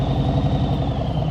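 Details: Motorcycle in slow-speed riding practice, coming out of a turn with the throttle held too low: low, labored thumping with slow, uneven firing pulses and no pickup; engine lugging from too little throttle.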